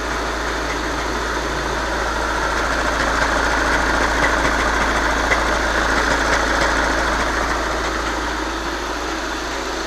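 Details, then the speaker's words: 2011 VW Jetta TDI common-rail diesel with DSG, 185,000 km, idling during a transmission service at about 34 °C: a steady rattling clatter rides over the engine beat from a noisy dual mass flywheel. "Also, you can hear the dual mass. It's noisy. So it's noisy. This car has 185,000 kilometers."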